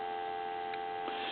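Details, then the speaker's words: Military TA 954 field telephone converted for home use with added receiver volume control, turned down from high: steady clean two-note dial tone, no breaks or crackle, faint hum behind; normal dial tone at reduced volume. "And you can probably hear dial tone now, but I'm start turning it down. We still have dial tone there, but it is in the turn down mode."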